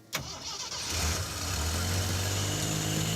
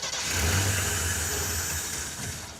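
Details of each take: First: 4x4 AMC Pacer with a loud fuel pump: brief crank, then it catches cleanly and idles down smoothly and evenly. Normal start and idle, though it has some clutch noise and an exhaust leak. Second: AMC Pacer with Holley Sniper 2-barrel EFI cranking: catches briefly and wants to run but won't pick up; electric fuel pump not heard priming on key-on, no fuel delivery.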